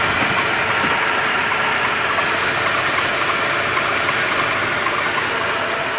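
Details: 2.2 engine (111 motor) at steady idle with fast faint metallic tapping at engine speed; knock of unknown origin.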